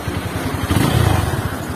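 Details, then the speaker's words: Rebuilt Honda CB150 Verza, about 2020, previously seized from running without oil: even, steady low beat with no knocks, ticks or rattles; engine runs smooth and normal, no problems. "josley halus normal tidak ada masalah"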